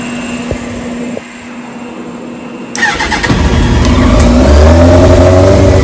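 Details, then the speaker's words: 2001 Yamaha R1 (5JJ), tach shows no codes, oil light on: cranks and catches, then revs sound ragged with popping and no clean pickup on throttle; it later bogs and dies; dirty carbs suspected, possibly electrical. "It's running rough. It's popping a lot. You know, when you give it throttle, it's not revving clean. So that's a pretty good sign that the carbs are probably dirty."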